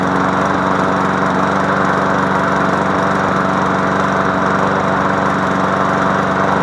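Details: MTD Yard Machine push mower after fixing no compression by adjusting the valves: steady, even small-engine drone at constant speed, no misses or surging; runs healthy.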